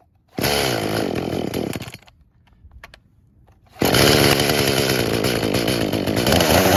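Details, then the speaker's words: Traded-in chainsaw with new bar and chain, busted primer, started on choke: revs ragged and uneven, dies away, then restarts and labors without a steady idle. Choke made no difference. Suspected fuel issue (tune, dirty carb or bad diaphragms). Won't idle or reach full speed. "And the choke didn't really seem to make a difference. It wouldn't get the peak RPM, and it also wouldn't idle,"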